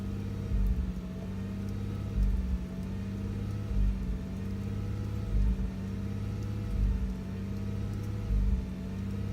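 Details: 3.0R flat-six at idle with a deep stumble and surge about every 1.5 seconds; codes P0302/P0304/P0306 bank 2 misfire; EGR, fuel pressure, PCV, MAF fine, no vacuum leaks, new plugs, compression 150 psi all cylinders; runs fine 100 miles after ECU reset.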